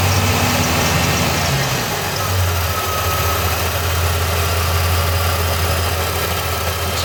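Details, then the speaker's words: 1989 Chevrolet S10 4.3 TBI after TBI rebuild: low, loping idle with uneven throb, shudder at low rpm that worsened over time; slight belt-area chirp, possible fuel in oil; cause not pinned down. "there's definitely vibration at the low rpm if I go in the cab and do that I think it'll show even more"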